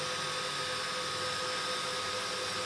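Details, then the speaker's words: X-Case RM 100 SQ 1U 450mm rackmount chassis with four high-powered temperature-controlled fans; steady, even rush of air with faint constant whir, no rattles or surging; normal, not jet-like airflow noise. "now to me being a 1u this isn't noisy yes there's airflow going on yes you can hear it but it's not a jet engine"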